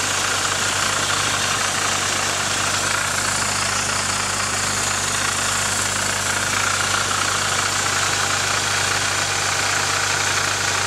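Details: Nissan 240SX KA24DE at even idle with a constant fast metallic rattle and chatter over the engine; owner suspects timing chain noise, not confirmed.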